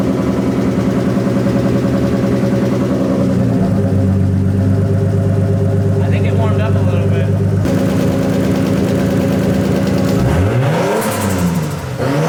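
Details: RB25DET Skyline running an adapted RB20 harness, on its first start with no exhaust fitted: a rough idle, then revs climb and fall with fluttery chatter on lift-off. This is compressor surge with the blow-off valve blocked.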